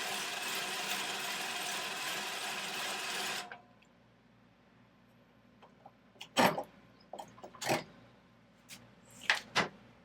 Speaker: Alright, well that was only about 20 seconds and I could hear the grinding paste sort of dissipate.